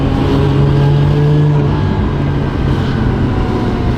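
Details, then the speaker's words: Toyota Soarer JZZ30 driving after a new R154 transmission and ORC twin-disc clutch were fitted: an even engine and road drone with no gear grind or whine. The drivetrain is much quieter and sounds healthy, though some clunking is noted from the rear. "It's actually so much quieter, too. Huh? >> Yeah, there's more clunking in the back."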